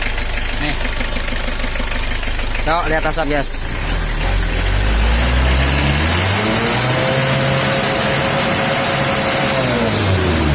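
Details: L300 diesel suffering thick smoke, rough sound and weak power, at idle. Rough, uneven clattering with hard knocks about three to four a second.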